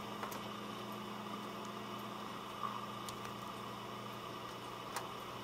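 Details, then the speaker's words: Dell Optiplex GX280 SFF desktop just booted into Windows XP, quiet steady low hum with a soft airy whoosh and no rattle or whine, mostly the power supply fan; normal fan noise. "And if you listen, it doesn't get very high in terms of fan noise. A lot of the noise you're hearing is the power supply fan."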